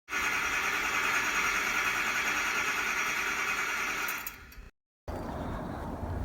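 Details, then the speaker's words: 2000 Ford F450 Super Duty crank no start; starter spins engine steadily about four seconds without catching; electrical tested with power reaching the fuel pump, owner suspects bad fuel pump, later confirmed as the fuel pump. "My truck won't start. It cranks but it won't start, and I've tested all the electrical and there is power going to the fuel pump. So my guess the fuel pump is bad."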